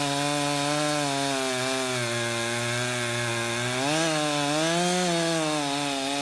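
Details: Husqvarna 353 two-stroke chainsaw, restored with gas line and chain drive work, carburetor just adjusted, cutting wood: strong steady buzz sags slightly as chain bites and recovers, even firing; runs healthy, chain grabby and needing sharpening.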